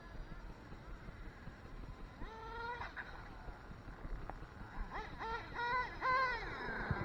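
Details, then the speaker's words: Redcat Racing Earthquake 3.5 RC truck with swapped Dynamite .28 big block nitro engine: revs blip then sag and stall because the clutch shoes aren't retracting fully and hang up. "see that's exactly what's happening these clutch shoes are not retracting all the way and that's what's hanging up and causing it to uh stall out"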